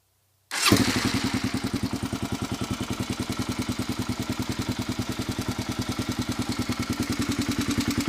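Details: 1997 Kawasaki KLR 650 single-cylinder starting and idling: a light, sharp tick on every beat, noticed after an oil change; valves were just adjusted to the large end of spec.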